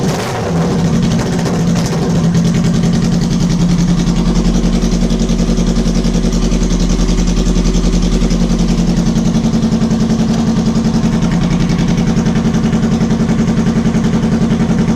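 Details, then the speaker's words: 2006 Kawasaki Ninja ZX10R, first start after modifications and a fuel system check, running without mufflers: catches quickly and holds a loud, steady, even idle for about fifteen seconds before shutting off, running healthy. "damn this thing is freaking loud sounds okay"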